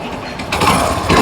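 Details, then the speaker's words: Hero Splendor single-cylinder motorcycle, after repairing engine noise caused by a broken bearing: short even run with steady hum, no top-end ticking, now quiet and silent; normal idle after repair. "Bike जो है एकदम सुन हो गई है silent bike हो गई है जैसा आप सुन पा रहे होंगे"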